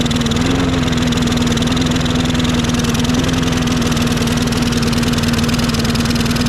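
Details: Toro 22-inch Recycler mower, Briggs & Stratton 6.75 Quantum auto-choke engine that kept dying, running warm after choke repair: steady single-cylinder chug, slight early pitch wobble, then fairly even; a missing spring was found afterwards, stalling cause unconfirmed.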